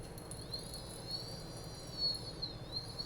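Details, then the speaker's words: Brushless 3115 FPV drone motor spinning with a high whine that wavers and dips in pitch plus faint intermittent ticking: the motor's retaining clip is rubbing, not the bearings. "okay so right here i can tell you that what you're hearing is the clip"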